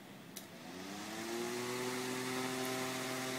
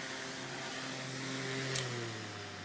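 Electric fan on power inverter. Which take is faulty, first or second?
second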